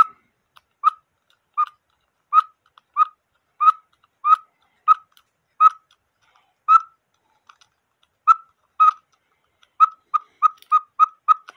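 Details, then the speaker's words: Cuckoo clock, quail bellows with a homemade screw-on weight that proved too heavy: thin whistling pips with uneven gaps that stall then bunch up; quail struggles to play. "as I suspected it's a little bit too heavy for it so when you trip the quail it tries to play but you gotta put extra weight and I gotta fix this fellow here it doesn't sound right"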